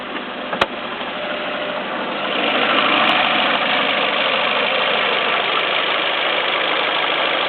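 A sharp, regular clack at about three per second rides over the idle and keeps pace with the engine; the cause is not yet pinned down.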